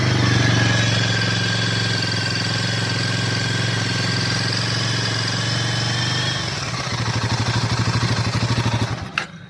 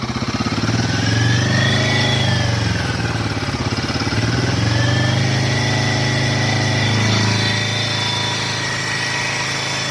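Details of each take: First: Royal Enfield Himalayan 450, held at about 3000 rpm as a reference beside a same-batch bike with a ticking noise: pulls up smoothly, clean steady note, settles to an even idle with no ticking or knock. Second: Royal Enfield Himalayan 450, stock, held at 3 rpm (as stated, likely 3,000): fast light "tik tik" ticking over exhaust drone, owner says not tappet noise, possibly from head; compared with a same-lot bike.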